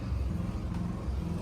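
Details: 1992 Yamaha Banshee two-stroke after a full engine rebuild, fresh off the build stand, carburetors out of the box and untouched. A steady, even burble with a deep low note and no knocks or misses: it runs cleanly.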